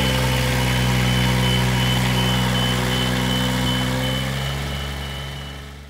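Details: Duralift Jibbi 1250 boom lift driving in fast drive, transport mode, straight line on the right joystick: a steady diesel drone under a sharp high beep repeating nearly four times a second; the travel alarm is working normally.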